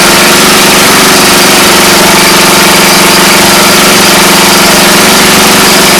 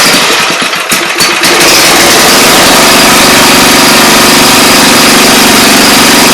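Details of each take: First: Briggs and Stratton engine after the starter clutch was removed and serviced: steady, even drone with a fast regular beat and no screech from the clutch after several seconds of running; normal running. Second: Briggs & Stratton engine, pull-start: after starting it runs loud with a harsh hissy scraping over a steady beat; dirt in the starter clutch keeps it from spinning freely, risking binding or flying off the crankshaft. Starter clutch bearing noise, to be cleaned.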